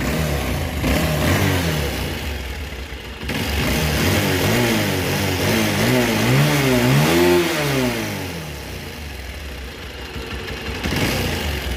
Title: pulsar 220 bike engine noise problem